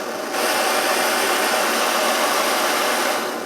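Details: Svea 123 backpacking stove after rebuild, burner glowing red hot: steady even blowtorch-like roar holding constant after lighting, no sputter or pulsing; running clean at full heat.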